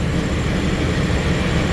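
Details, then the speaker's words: 2013 Chevrolet Express van V6 after a no-start, no-crank repair with a fuse check: steady, even low-pitched idle with no misses, knocks or rattles. "You can see it's running."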